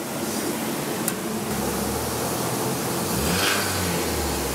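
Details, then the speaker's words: Toyota RAV4 build after a hard dyno run: rough idle with a loose metallic rattle over the engine note. The engine is tired, rattling from low oil pressure in a sludged engine. "Oh. Sounds a little rattly. Straight away. That was a considerable... Okay, so there's nothing at all under it. That's good. It's just be the motor, just be tired, not up for it."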